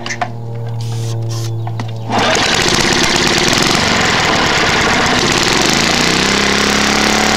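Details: Trash-picked Tecumseh lawn mower engine, first start after many years sitting: hum, then catches into loud, ragged clatter that never settles; worn out, bad head gasket, carb and piston, burns a lot of oil. Engine running rough.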